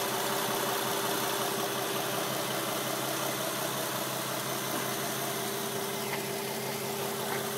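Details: 2007 Nissan 350Z at idle, tick from the engine bay: light, fairly even ticking at roughly three per second over a steady idle hum; cause unknown.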